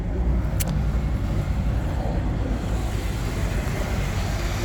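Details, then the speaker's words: 2015 Jeep Wrangler Unlimited Sport, 97k miles, 3.6L DOHC Pentastar V6, 6-speed manual, new battery, fully serviced, just after start-up with no warning lights: a smooth, even low rumble with no knocks or misses, a normal idle. "it is, nice and smooth."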